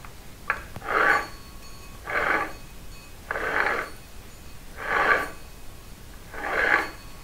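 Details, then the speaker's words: Dennis Premier mower gearbox with straight-cut gears, bench-rotated by hand before disassembly. A rough rasping grind comes in bursts about every second and a half from gear teeth whose burrs were ground off. It is worse under load, and the gears need replacing. "so hopefully you can hear that it's making a horrendous noise and that's even worse when it's under load"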